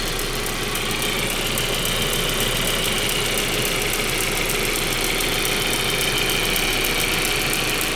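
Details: 1.8T engine at idle: steady idle with a fast, fairly even light tick over the engine note; source of the ticking unknown.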